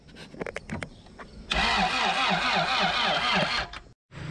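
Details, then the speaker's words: Honda CRX with a B18 engine, revived after sitting two years, with starting spray added: steady fast cranking at about two turns a second with no catch until the battery dies; crank, no start, timing suspected off by a tooth. "right go ahead and crank it it's dead damn [Music] so it didn't start we ended up killing off the battery"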